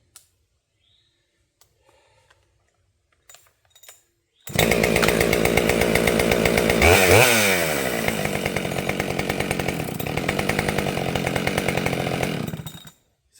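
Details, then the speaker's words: Husqvarna 572XP chainsaw after a tune: crisp, steady high-idle buzz with a quick blip, then even firing until shutoff; clean, healthy running. "that was with high idle. Let's see if it restarts with no idle or nothing."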